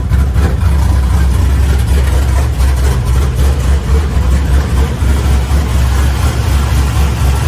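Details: LS-based V8 shop truck with new Howards Rattler cam and fresh exhaust, warming up: deep steady idle rumble with a slight lope, no knocks or ticks; normal, just needs tuning for the cam.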